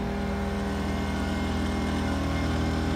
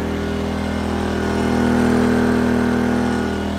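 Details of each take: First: Pulsar PG2000iS 2000 W inverter generator already running the AC and charger, with a refrigerator added: a low, laboured drone as the overload light comes on. The unit did not trip, but it is running over its rated wattage. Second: Pulsar PG2000iS 2000 W inverter generator powering an air conditioner, battery charger and lights: a steady, deeper, labouring drone that holds speed without surging. It carries the heavy load with no overload indication.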